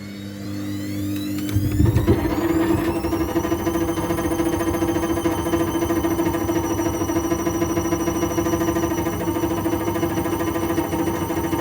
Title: Washing Machine was Unbalanced, Horrible Rattling Noise